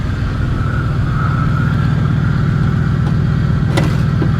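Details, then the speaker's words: Low-mileage salvage-auction car whose brakes quit from an unrepaired leak, hood tied down, at idle: a steady, even low rumble with no knocks, ticks or misses. Runs absolutely great. "man it runs great it does it runs absolutely great"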